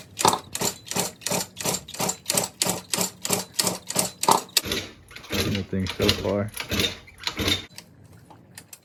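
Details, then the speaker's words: Cranking a 1989 Yamaha Zuma 50cc two-stroke "Prebug" on its first start after a 70cc big bore kit, new carb, new exhaust and resealed rings and gaskets: the starter churns in uneven bursts and the engine never catches. Little gas in the tank; they suspect fuel starvation. "either yeah there's not that much gas in my gas tank either oh no I'm not sure how much there is in there there's a little but not like a lot"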